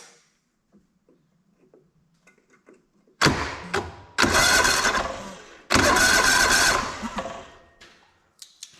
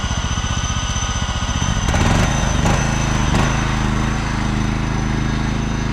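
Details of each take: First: Auction John Deere LX186 riding mower, 17 hp Kawasaki engine, non-running, fuel tank not yet hooked up: three short bursts of steady starter cranking with no firing; engine turns over but gets no fuel, carburetor likely needs servicing. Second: John Deere LX186 riding mower, 17 hp Kawasaki engine with hydrostatic drive, test drive: small engine chugs steadily under load, drive engages smoothly with no whine in reverse, a sign the hydro is not weak; runs and drives healthy.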